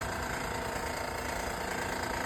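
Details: Honda Odyssey 3.5L V6 at idle: fast, even ticking rattle riding on a smooth idle, steady with no speed change; worn timing belt tensioner chattering.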